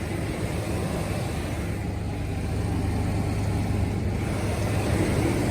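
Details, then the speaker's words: 2004 GMC Sonoma 4.3L Vortec V6 idling just after new ACDelco spark plugs gapped .060: smooth, even low idle with no stumble or hesitation. Owner notes it hesitated before and had a check engine light; now sounds much better. "So there we have it, guys. It sounds a lot better. And I'm pretty sure my fuel economy is going to be a lot better."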